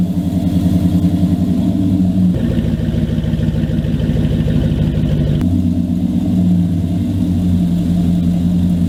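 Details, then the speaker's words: 2000 Dodge Dakota idle, before and after repair: loud, raspy, popping note from broken exhaust dumping under the passenger seat like a straight pipe, then quieter, smoother rumble with the exhaust patched; exhaust leak fixed. "that was just the old broken exhaust versus the new fixed exhaust before just sounded like it was like i said it was just dumping right underneath the passenger seat so it's like a straight pipe basically"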